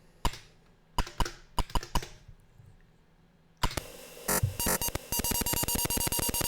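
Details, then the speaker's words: Atari 8-bit disk drive reading a graphic via a BASIC program under Atari DOS II burst mode, data sent directly into the buffer: sparse clicks, then a rapid even run of beeps and ticks as it loads much faster; normal disk read beeps. "sending the data putting the data directly into the buffer and then calling cio telling it that the operation has completely finished adjusting the length byte by 128 bytes or so as necessary and you can see the result is much faster"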